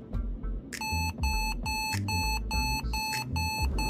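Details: Lenovo ThinkPad after motherboard replacement beeps steadily at power-on, about two short mid-pitched beeps a second, because the new board lacks serial number, machine type, UUID and product name; fixed with Lenovo maintenance utility.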